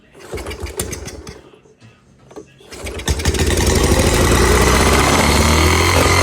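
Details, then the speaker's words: 1986 Honda Fourtrax 70 ATV restarted with carb adjustment out of whack, air cleaner off, being choked and spitting gas: after handling noise it catches and holds a loud, fast, steady drone near full throttle. High idle; owner hopes refitting the air cleaner will help. "It's running and smoking and screaming, idling real high."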